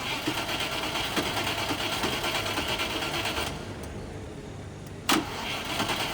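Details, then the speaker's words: 1989 Range Rover Classic V8 after a cooling system overhaul with a new water pump and belts: a quiet, even idle hum with no belt squeal or chatter, quieter than before, running without leaks. "so much quieter now that I don't have uh I guess bad p or something these new belts I don't know it's it's absurdly quiet more quiet than it was before"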